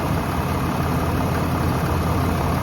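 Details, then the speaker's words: 5th-gen Ram Cummins diesel warming up just after a Banks Monster Ram intake install: low, steady idle rumble with even clatter and no ticks, hisses or exhaust leaks. It is nice and quiet with nothing out of the norm, a normal idle. "It's nice and quiet. I don't hear anything that doesn't sound out of the the norm or anything like that."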